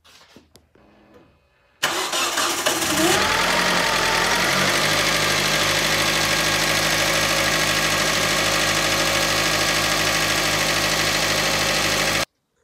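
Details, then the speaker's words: Rebuilt Hyundai engine, first start after reassembly with fresh oil and coolant (coolant still low): starter cranks about a second, catches cleanly, settles into smooth even idle, no ticking or knocking; normal start and idle. "So I'll get in it, fire it up, or at least attempt to, and we'll see what it does."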